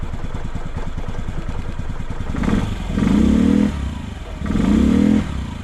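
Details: 2007 Honda Metropolitan 50cc scooter after carburetor cleaning for low power, battery weak and needing jump starts: putters at idle, then two short throttle blips that rise and settle back evenly; steady healthy idle.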